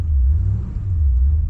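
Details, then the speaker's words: 1972 Chevrolet Impala V8 on second start attempt after the coil wire was refitted: deep, even low rumble with no stumble or skipped firing, slow to respond to throttle, idling smoothly on all 8 cylinders. "Car runs so smooth whenever it's actually got all 8 cylinders. It's amazing."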